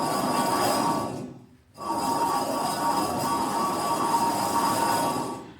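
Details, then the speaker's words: 2007 Chevy Express passenger conversion van, rear-wheel drive: the front hub is spun by hand with the rotor off and makes a rough, gritty whir that fades and stays rough. It spins too freely, a worn front wheel bearing/hub assembly awaiting replacement. "She should not sound like that. And it shouldn't spin that freely."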